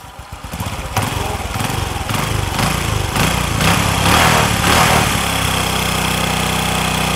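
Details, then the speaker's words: Honda Future 2 motorbike with smoke problem: rough groaning run with a clunk every two or three turns under load, then stall or plain idle; clutch groaning and clunk with stall, faulty clutch. "thứ nhất là nó ọ thứ hai là nó chạy hai ba vòng nó làm cái sựng cái hai ba vòng nó làm cái cụp cái vậy đó tắt máy luôn vậy đó"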